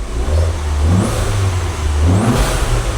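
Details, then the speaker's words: Accident-damaged Fiat Punto Abarth petrol engine, warm, revved a few times: it picks up cleanly with a steady low growl, and the earlier clicking has eased. An injection warning light remains, and a Fiat diagnostic tool is thought to be needed. The engine sounds mechanically healthy. "Elle elle roule bien, tu vois. Enfin, elle prend bien ses tours et tout."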